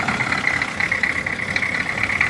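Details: Old diesel vehicle charging at 13.7 V: steady, even idle with a constant mid-high whir on top, no knocks or misses; running normally.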